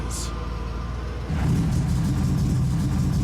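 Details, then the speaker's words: Restored muscle car with V8 after test drive, good oil pressure: engine climbs into deep, even roar, pulling cleanly without misfires; normal engine revving. "God, listen to that roar. Oh, yeah."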